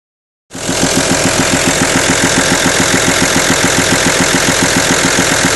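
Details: Audi A6 2.5 TDI diesel at idle: sharp, regular ticking rattle of about 214 a minute over the idle, a top-end valvetrain clatter; camshaft, hydraulic lifters or rocker arms suspected, not confirmed.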